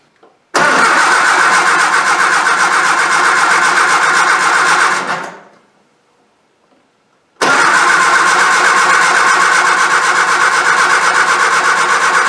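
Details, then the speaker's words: Triumph Spitfire with original AC fuel pump, coming out of winter storage, fuel primed, battery charged, coil reconnected: fires at once, runs briskly, shuts off, then restarts cleanly into a steady even run; normal start. "so we're ready to start so the fuel is primed and uh we'll see how it goes all right i'm gonna go ahead and start it up"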